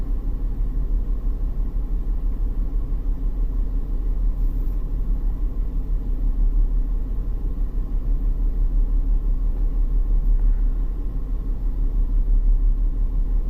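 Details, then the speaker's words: 2001 BMW X5 3.0L with code P0306 and catalyst efficiency codes: low, deep drone under load with an uneven, lumpy beat about three times a second. The scope shows one coil losing its multi-strike, suggesting a failing ignition coil is causing the misfire. "yeah I think the one is losing the multi stroke that's yeah look at that one coil"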